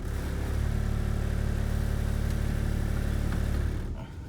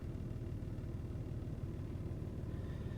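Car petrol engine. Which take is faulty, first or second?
first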